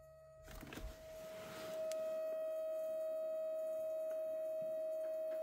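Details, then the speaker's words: 2012 VW Passat 1.6 TDI (CAYC, 105 hp) during service: fuel lift pump run via diagnostic basic settings; steady high-pitched whine climbs in then holds even while priming, normal. "Pompe de préalimentation. Donc voilà, ici c'est le premier qui apparaît. On clique sur voilà en cours. Donc on entend la pompe."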